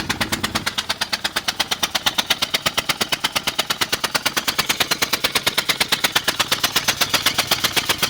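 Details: 2000 Ford Explorer Sport 2-door 2WD running: sharp, even popping taps about three per second over a quiet engine, possibly exhaust leak or valvetrain tick; cause unclear.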